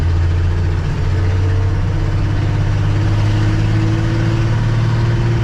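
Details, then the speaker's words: 1967 Ford F250, warmed up, pulling away in second toward the highway: deep, loud drone rising slowly with a raw, blatty edge from a leaking exhaust manifold; no exhaust smell inside, manifold replacement planned. "I don't really get any exhaust smells inside um it's just noisy so replace that manifold with the one that comes with it and put a nice single exhaust on this thing"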